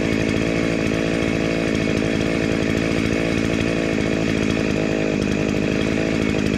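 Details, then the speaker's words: Dolmar 109 chainsaw (second of two), after restoration with a homemade shortened chain and the oil pump sorted: steady, high two-stroke buzz held at constant revs with no misfire or surging; running clean and strong and oiling. "It is I know it's running well and it is uh oiling."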